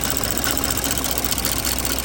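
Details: 2024 Porsche Macan S, after spark plug replacement, at idle: fast, light, even ticking over a smooth idle at a steady rate; top-end tick of unknown cause.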